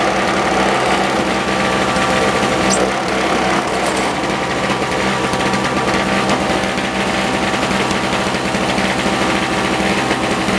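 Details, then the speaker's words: 1970s (possibly 1973) Nova two-stroke snow blower after spark plug replacement: loud raspy drone that never settles; running rough, gets fuel, carburetor adjustment or stuck choke suspected, not confirmed. "Needs to wake up, I guess. Don't run very well. We'll have to adjust it later."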